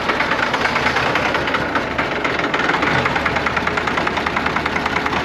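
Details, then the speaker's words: Long-stored old tractor (Case 970 or McCormick-Deering W9) at idle: rough with irregular knocking about three a second as cylinders drop out and return; losing fuel prime. Injectors and pump suspected; starting with fuel filters and bleeding. "Yeah, you can hear cylinders come and go, and as they come and go, it sounds like it's got a knock. So, we might end up putting injectors in this thing and a pump."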